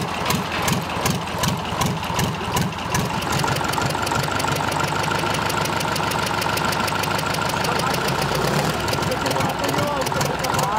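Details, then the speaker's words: Freshly overhauled Tatra 148 diesel, first start after three years, cold: clatter near 2.5 beats a second, ragged at first then settling even at idle; white smoke until warm said normal, oil leaking from a plug. "Le moteur émet de la fumée blanche, ce qui est normal pour les moteurs Tatra ! Jusqu'à ce qu'il chauffe."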